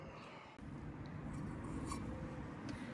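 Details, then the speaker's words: 1972 VW Super Beetle air-cooled engine after the fan-to-shroud gap was adjusted and the clamp tightened: low, even idle with no more clanging or banging of the fan against the shroud; cooling fan now quiet. "so now there's no more noise no more fan shroud noise before it was like clanging or banging against the Shroud"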